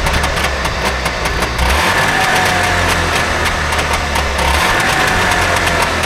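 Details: Trabant 601 two-stroke, recently bought, with a rust-seized wheel brake cylinder: putters unevenly at idle, beat stumbling and hunting rather than settling; owner says it doesn't run right; fuel delivery suspected.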